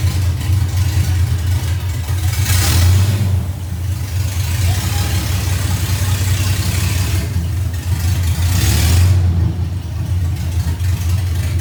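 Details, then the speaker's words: First test drive of 1982 FJ45 pickup with freshly rebuilt 1977 Toyota 2F and H55F 5-speed, up to second or third gear: revs climb smoothly, ease off for each shift, no knocks or gear whine; first gear very short; normal. "man that was what a great feeling today was brilliant I mean truck going like second or third year I think at one point so"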